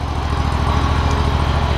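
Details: John Deere ZTrak Z915E, Kohler Command CV742 25 hp V-twin, 341 hours, sat 2 years; after carb clean fixed the sticky backfire solenoid causing no fuel, and an oil change. Steady low idle putter, no misses or surging; normal idle.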